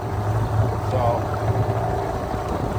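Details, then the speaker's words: Dinghy outboard, fully warmed up after attempted fix for rough running: steady low drone at cruise speed with a slight uneven shake remaining, though low and middle idle sound fine; cause not clear. "this is kind of where we cruise at still got a little bit of a shake but it's not bad"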